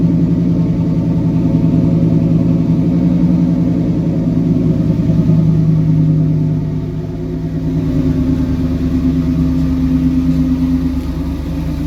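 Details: 1998 Pontiac Firebird Trans Am after fuel pump reconnected and distributor timing adjusted (timing had been out); steady even low rumble with mild rev settling back, smooth firing; normal running.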